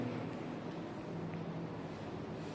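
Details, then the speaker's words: Toshiba (OEM Midea) RAS-05BKS-ID 1/2 PK R410A split air conditioner, indoor fan on turbo mode: steady airy rush over soft low hum with no rattles or ticks, running smoothly at top speed. "Kalau di turbo dia juga ada panjangnya gitu dan dia tambah kencang anginnya."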